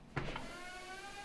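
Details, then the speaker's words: Treadmill stomp test with machine running: sharp thump as the running belt is stalled underfoot, then a steady high squeal as the front roller keeps slipping, showing the belt is too loose and needs more tension. "you can hear when it stalls you can hear the front roller is still slipping which indicates that the belt is too loose"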